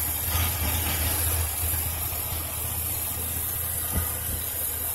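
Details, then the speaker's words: 2007 Chevrolet Silverado 2500HD LT 4x4, one owner, regularly serviced, no check engine lights, heard with the hood open: steady low idle rumble, even and smooth, no knocks or misses; healthy idle. "let's pop the hood we'll go back to the engine here there we go excuse me sorry about that folks let's hear it run turn along beautifully"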